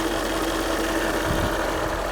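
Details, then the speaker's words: Land Rover TDV8 diesel idling just after an oil and filter change: an even, smooth V8 idle with a steady low rumble and no knock or tick. Sounds normal. "listen for any strange noises but at the moment it sounded exactly how tdv8 should"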